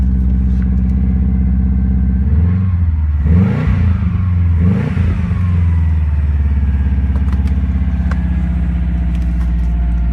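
Engine revs with a rough, clattery note over a heavy low rumble when cold; the cause cannot be pinned down from the sound.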